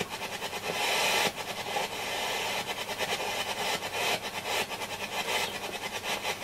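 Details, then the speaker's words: Hacker Hunter RP38A FM/AM radio on an 18 V centre-negative supply after a polarity reversal: rapid, uneven putt-putt pulsing over FM hiss, a bad motorboating oscillation. Normally caused by the amplifier plug not being pushed in properly. "I turned it on and to my horror it was some what we call motor baut in so let me show you Jewish mystic as you can hear motorboating quite badly no normally normally that is caused by the amplifier by the plug not being pushed in properly"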